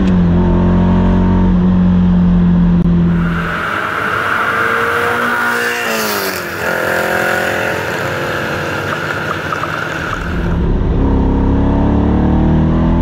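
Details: Ferrari 308 V8 on the road with a newly built loud exhaust: a loud snarling burble under load, lumpy and uneven, ragged as revs rise. It is not firing on all eight cylinders, an engine misfire with the cause not confirmed.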